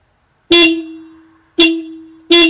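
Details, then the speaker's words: Skoda Fabia Mk1 1.9 PD single horn, pressed while back-probing contacts with multimeter; open circuit each press, with a brief 2.3 V spike. Three clean steady mid-pitched blasts, even; horn working properly. "I'm pretty sure my multimeter's working perfectly, and as you can hear, the horn's working perfectly as well."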